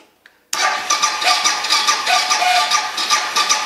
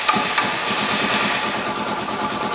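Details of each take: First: Suzuki DR650 starting after Lectron carburetor install: harsh scratchy cranking with rough uneven chatter about two beats a second, no catch; owner says the starter makes noises, cause not stated. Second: Suzuki DR650 adventure-bike build, first start after fitting a Lectron carburetor, choke turned off: a steady, even single-cylinder putter settles into a smooth idle with no knocks or misses, idling normally.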